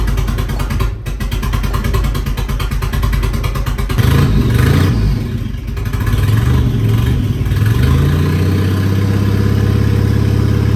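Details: 1959 Mercedes body on an '87 Thunderbird Turbo Coupe chassis, first start in decades. Lumpy, uneven idle with stumbling beats and ragged revs, no steady rhythm: misfiring.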